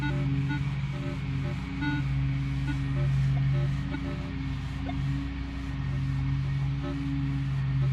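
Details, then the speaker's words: Minelab Equinox 800 metal detector with 15-inch coil, multi-frequency mode over open field: constant chattering drone of low tones with irregular blips; falsing from poor ground balance (reading 57–59 in multi versus 33). "It's just constant barrage of noise."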